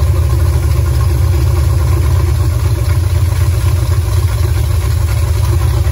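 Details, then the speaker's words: Super Stock Buick 350 V8 during camshaft break-in, after the dual-point distributor points issue was sorted. A loud, deep rumble that holds steady with no clatter or misfire; the engine sounds good and the cam appears not flat. "well i it was kind of uneventful after the points issue but uh yeah i mean it sounds good"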